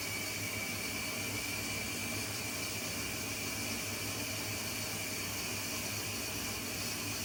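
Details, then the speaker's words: Arçelik 10120 M washing machine, 1200 rpm spin, 10 kg capacity, in its wash phase: an even, steady whoosh from the drum turning, with no knocks, grinding or motor whine. Normal, quiet wash cycle. "yıkama sessize bu motorun herhangi bir ses yok yok Dediğim gibi Sadece kazanın çevirmesi var"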